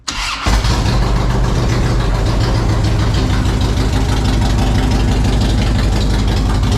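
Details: 2007 Harley-Davidson Road King Custom, in neutral after a winter on a battery tender; a no-start was fixed by replacing the alarm key fob battery: starter whirs briefly, the twin catches at once and settles into a steady, even idle, no knocks.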